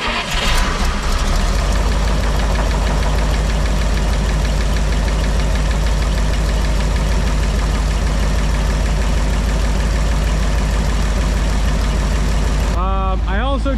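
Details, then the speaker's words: Old dump truck engine restarted after the fuel pump was reinstalled in the tank: steady low rumble with an even beat, no misses or stumbles; the pump runs, the filter is already full of fuel and no fuel pours from the bowl. "let's see if this thing starts again cool pumps Ryan and that filter is already full of fuel and there's no fuel pouring out of the bowl up there"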